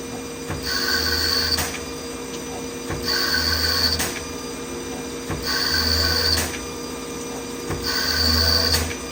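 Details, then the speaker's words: CNC lathe threading a Tikka 22 Creedmoor barrel at 1,000 RPM, 20 passes then a skim pass: regular passes about every 2.5 seconds, each with a high ringing squeal over spindle hum; light threading chatter, judged not a big deal. "Little chatter. Seems like a big deal, but it's not."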